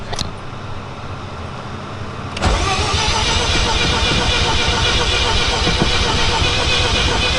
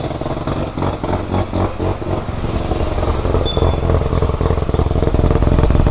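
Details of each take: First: Mazda FC RX-7 with a rebuilt rotary engine, restarting with the battery low on a jumper/battery tender. The starter spins steadily at about four beats a second but never catches. Crank, no start; fuel suspected, though the gauge reads three quarters. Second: Mazda FC RX-7 with a rebuilt rotary engine, first start in 6 years. A fast, even burbling pulse over a steady low rumble; idling nicely and healthy, though the O2 reading is rich.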